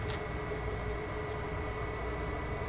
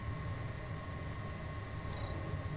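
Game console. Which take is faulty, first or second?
first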